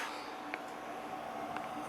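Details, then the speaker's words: 1950 Zenith AM/FM tube radio, probably H725, possibly water-damaged and not playing: over faint hiss, two sharp pops about a second apart from the speaker even with it unplugged; cause unknown. "but this one doesn't work and it makes a popping noise with it unplugged don't ask me why I have no idea"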